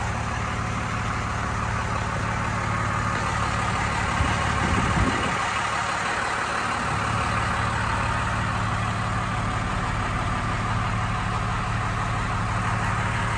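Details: 1993 Dodge Ram W-350 4x4, 12-valve 5.9 Cummins intercooled diesel, automatic four-speed, 51,414 original miles, fully serviced, just started: steady even clatter with deep smooth rumble, no misses or knocks; healthy inline-six diesel idle.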